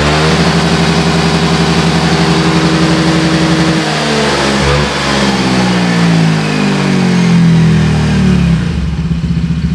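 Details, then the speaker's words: Motorcycle revving after service: clean, smooth throttle blips with no knocking or clatter at idle or under revs, where before there was a klotok knocking and vibration at idle when opening the throttle; healthy. "Coba kita tes ngegas [Musik] bersih ya enggak ada suara klotok-klotok yang dari sebelumnya itu ada suara kalau di Idul kita buka ke Shadow suara getar atau Klotok sekarang bersih"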